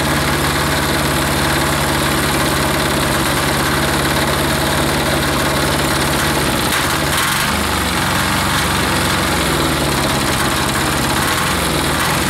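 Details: Hot air-cooled diesel engine, stopped by shutting off the fuel, restarted by hand; fires and settles into a steady low chug with an even, smooth beat. Normal hot restart and idle.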